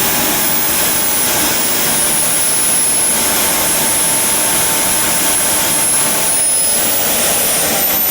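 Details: JetCat RC jet turbine after repair of starter clutch, worn bearings and deformed NGV: auto-start works and idle combustion temperature stays within 500°C; steady high-pitched whine with even air rush, no surging, running healthy.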